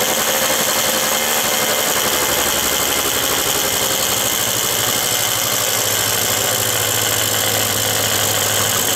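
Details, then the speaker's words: Quantum RS two-stroke on a lift, first start after cleaning and refitting the carburettor with the oil-pump hose and vacuum line reconnected. Steady high-pitched buzz that never drops to idle; revs pulled up to maximum because the idle was set too high. "działa oczywiście obroty były podciągnięte na maksa"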